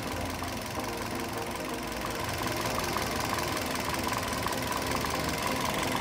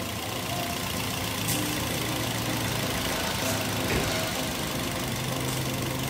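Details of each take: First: Toyota Yaris (Bakpao) idle after replacing a weak/dead ignition coil that caused misfiring and stumbling; steady, even rhythm, all cylinders firing, engine now settled and smooth. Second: Toyota Yaris (Bakpao) with coil covers removed, idling before each of the four coils is tested: uneven, stumbling idle with irregular thumps and visible shaking; one cylinder is missing from a weak or dead ignition coil.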